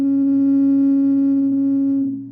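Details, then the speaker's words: Rock-Ola Tru-Tone Model 0 tube amplifier, warmed up at top of the volume range with music muted: steady pure ringing tone near 280 Hz that fades; a microphonic tube feeding back, cured by swapping the tube. "If I bring it up to the top of the range, you can hear it. It's actually kind of ringing. It's feeding back now."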